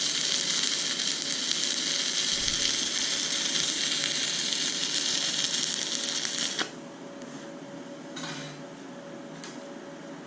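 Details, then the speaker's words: YesWelder Firstess MP200 stick welding at 100 amps: steady crackling sizzle for about six seconds. The arc still runs cold at this setting, so amperage is being raised to 120. "uh definitely definitely still on the cold side i'm going to crank it up to 120. amps"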